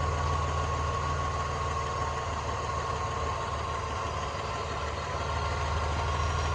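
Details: 1999 Dodge Dakota at idle, after adding 1 qt of ATF at an oil change and running 10–15 seconds: steady idle with a light, quick tick about four per second, much quieter than before; engine ticking at idle, cause not confirmed.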